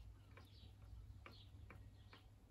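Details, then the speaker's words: MZ ETZ300/ETZ250 two-stroke engine strip-down with around 32,000 on it: connecting rod rocked by hand up and down gives light dull clicks about every half second; feels smooth, not gritty, but has worn big-end bearing play. "you can just hear it Knocking so even if that fit doesn't it doesn't feel gritty it feels smooth enough"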